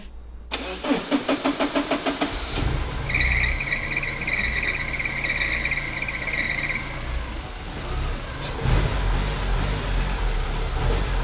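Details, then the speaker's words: Porsche 944 S2 first start in over a year, after clutch bleed and fan temperature sensor replacement, weak battery: starter churns through a dozen quick compression beats, then it catches and runs steady and even; normal running. "The car, although a little rough around the edges, was running incredibly well."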